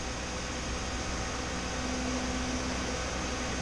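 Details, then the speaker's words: Chevy G20 van, new electric radiator fan with relay and 205°F-on/185°F-off switch, engine warm: fan switched on around 204°F; steady even whoosh of airflow, no rattle, scrape or wobble; normal operation. "204 something it turned on and now it is on I can feel plenty of flow it's working real"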